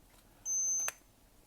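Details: Invicta Supersonic Electronic Master Mind game, after repairing cracked track between power switch and battery (+) wire: single steady high beep about half a second, then a click, on a correct guess; sounder working normally.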